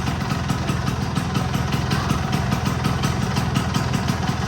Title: My Vespa V9B1T 100 after rebuild the carburetor…